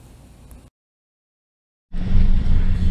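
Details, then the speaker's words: 2012 Toyota Yaris (Latin American version): after a brief dropout, low heavy uneven idle near 500 rpm, stumbling and losing power; bank 1 sensor 1 oxygen sensor stuck reading rich, no check engine light. "tenemos el vehículo fallando ya completamente véalo en en un rango de 500 revoluciones vamos a fuera se escucha cómo se oscila el motor vamos a escuchar el motor oscilando y en este momento el vehículo pierde potencia"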